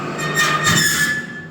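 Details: Carruthers AE5000-2D test run with blades and belts removed, motors under no load (2 hp spiral motor 1.5 A, 5 hp gang 3.1 A): a thin high squeal rides over the mechanical rush and fades; noisy, needs adjusting.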